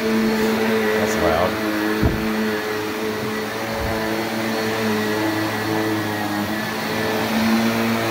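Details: Shark NV355 upright vacuum bought in 2018, about 3 years old, with suction control fully closed; smooth constant motor hum with steady pitch and light pickup clicks; normal running.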